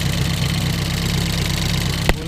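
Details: Ford Focus race car after a crash into a wall at Snetterton, started before rebuild, OBD scan showing nothing new, no leaks: steady, even low idle rumble with no knocks or misses, one brief click; normal idle.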